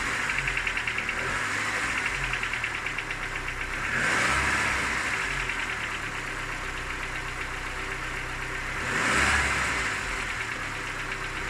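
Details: Cold engine idling with light tapping about three per second under two brief revs; knock fades with warm-up, gone at 90°C; hot compression 11 in all cylinders; cause unknown, owner asking.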